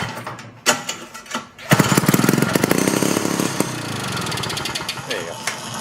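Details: 1971 Harley golf cart's small two-stroke gas engine with the muffler fitted, fuel squirted in: it catches and buzzes fast and crackly for a few seconds, sounding healthy.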